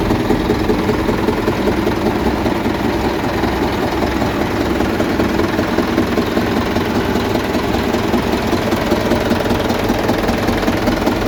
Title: 600 rpm in N, knocking sound more pronounced at the front of engine.